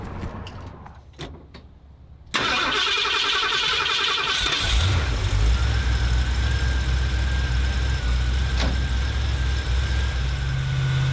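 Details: 1977 Ford F-250 460 V8, stone-cold start: catches at once and settles into a steady, high fast idle with an even beat and no knocks or stumbles: normal.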